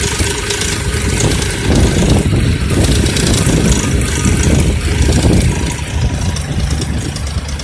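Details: Engine running with low oil level: rough low-rev running with an uneven metallic rattle, loudest between 1000 and 2000 rpm; valvetrain starved of oil.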